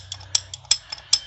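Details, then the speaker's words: 1993 Ford F350 7.3 IDI diesel, rocker arm set with a clogged oil passage, moved by hand off the engine: uneven sharp metallic clicks as it hitches and hangs up under pressure; owner suspects it causes the engine knock. "kind of gives that ticking sound I'm wondering if that's maybe where my knocking is coming from that I'm hearing"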